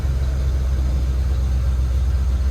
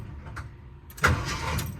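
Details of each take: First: 1978 Jeep Cherokee SJ, unstarted for at least a year, after a short drive: a steady deep rumble held at a fast, even idle with no dip, oil pressure climbing with idle and temperature rising. Idling high. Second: 1978 Jeep Cherokee, sat for years, not started in at least a year, with new-looking battery cables and solenoid: the starter is bumped and gives a brief, solid crank that bites and spins cleanly; it engages normally.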